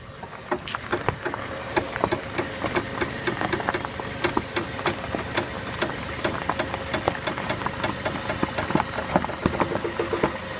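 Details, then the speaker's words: 2007 Chevy Aveo, front driver's side: sharp irregular cracks and clicks, several each second, over a low engine hum as the wheel is turned each way; a worn sway bar link clacking under steering. "So what she's going to do is she's going to turn, and you can hear it crack."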